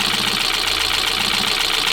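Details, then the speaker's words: 2025 Kia Soul with 12,985 miles, idled nonstop for a year and suspected run out of oil several times; sludged, warranty denied, smoke from the tailpipe. At idle, a steady harsh metallic clattery chatter, something hitting: engine knock from oil starvation. "But you hear how bad that thing sounds? I mean, it is just clattery, chattery. Also sounds like this thing's got a broken motor"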